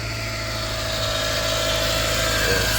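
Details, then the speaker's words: High-mileage NC Mazda MX-5 Miata, 186,000 miles, at idle: a steady high whine at constant pitch from the power steering pump, which leaks fluid everywhere and has a cracked reservoir. It worsens when turning; replacement pump pending. "when I was test driving it I could hear the power steering whining and when I looked down here there was fluid everywhere"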